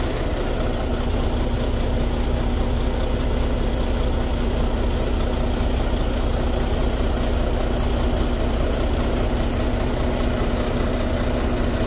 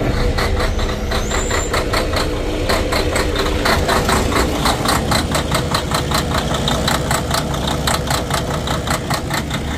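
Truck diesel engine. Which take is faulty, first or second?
second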